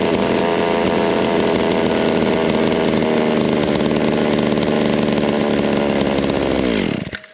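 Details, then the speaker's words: Vintage Stihl 020 top-handle two-stroke chainsaw, cold, plug wire replaced: runs steady and fast about seven seconds then cuts out abruptly once idle drops; stalls at low idle; owner suspects ignition coil rather than fuel. "See, once you slow the idle down, bam, it just shuts itself off. That is weird."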